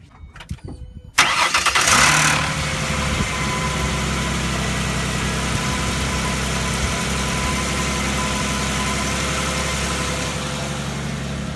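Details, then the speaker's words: 2005 Mustang 4.0 after gutting the catalytic converters and refitting the O2 sensor, rear clamps not yet tightened: fast cold idle with a faint puffing tick on the exhaust note from the loose clamp. Exhaust leak. "I still need to tighten those times because I can hear a little bit of a exhaust"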